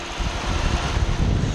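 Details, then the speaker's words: Lexus IS350 idling about 25 minutes after new radiator, coolant reservoir and AC parts installed: steady air rush over smooth idle as the cooling fans just start to kick in; fans working normally. "the fans are actually just barely starting to kick in so that's all I really wanted to know if the fans would kick in and they're kicking in so"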